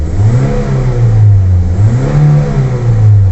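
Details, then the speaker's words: Toyota Vios/Limo with replacement Avanza AC magnetic clutch fitted, engine revved with AC off: revs rise and fall smoothly with clean even tone, no scraping or rubbing; clutch not dragging, normal. "Sob ini artinya [Musik] normal"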